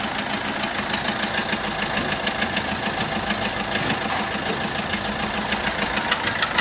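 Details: Peugeot 1.3 HDi diesel at idle with a bent valve not closing fully on cylinder four: uneven limping beat with a soft puff each cycle from compression loss, sounding similar to an injector compression leak.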